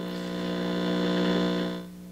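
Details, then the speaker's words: 1964 Star-Lite vacuum tube radio on FM, during hum troubleshooting with two hum sources found: a steady low buzzy hum, partly varying with volume, persists even at very low volume. Mains hum from wiring routed near the tubes. "part of the home varies with volume [Music] but there's some hum down there even with the volumes turned down really low"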